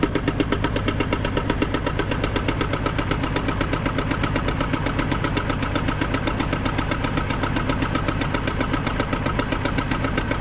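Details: GMC Envoy with under 10 miles on a new transmission: steady fast ticking about four per second over an even idle, seeming to come from the top; cause not pinned down.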